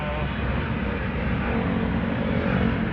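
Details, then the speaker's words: Toyota Revo driving after replacing the cracked propeller-shaft center bearing and cross joint that caused a squeak while moving: steady road and drivetrain hum, no squeak or rhythmic chirp from underneath; propeller shaft quiet and smooth. "Suwabe na yung ating ginawa na center bearing tsaka cross joint."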